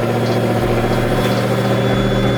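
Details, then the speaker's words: Procharged Pontiac G8 V8 after a piston replacement, driving under load: deep, even rumble with a steady beat, no knocks or misses; healthy, strong engine. "I'll put on manual mode just so y'all can hear this thing. Sounds a beast."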